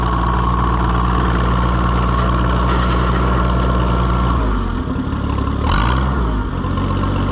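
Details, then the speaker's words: Oliver 77 tractor on its first test run after reassembly: steady idle with a regular knock about four per second that stops when the clutch is pressed, so not the hydraulic pump; the driveline clunk's cause is not yet found. "that's interesting I don't know what that clunking is"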